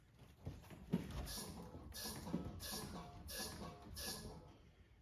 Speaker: Okay, so that's how you check the suspension. This side is good, the other side no good.